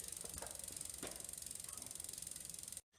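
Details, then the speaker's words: 1973 Raleigh International vintage road bike after straightening the rear derailleur hanger: quick dry chain ticking with scraping grind bursts when shifting up, as the derailleur is still slightly twisted; owner considers shortening the chain. "the hangers fixed but the derailleur is still twisted a little bit makes a little too much racket hear that grind going up there guys going from here to here"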